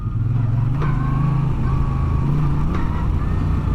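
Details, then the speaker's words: Moto Guzzi V9 Bobber on the road: steady twin-cylinder drone with a sharp clack at each gear change, up or down, worse when clutch is released late; rider thinks the cardan shaft drive is clacking. "dès que je passe un rapport il y a un petit claquement qui se fait voyez dès que je passe la vitesse ça claque même en rétrogradant"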